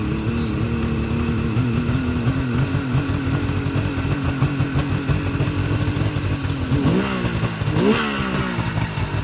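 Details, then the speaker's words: 1973 Suzuki GT550 two-stroke, about 5,800 miles, cold, choke off: burbling idle slightly low with a couple of quick throttle blips, still holding idle on its own; normal cold idle. "choke still off so that's why it's idling a little low right now she's cold but probably still holding idle on its own"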